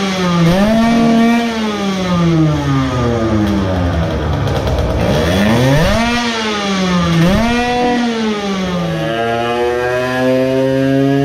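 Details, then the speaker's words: Modified moped two-stroke with a ported block, a new intake manifold and a larger carburetor, on a dyno with the airbox removed. Revs rise and fall but stumble near the top; somewhat better but still sputtering at full throttle, about 8.5 hp peak. "might be better but still some sputtering"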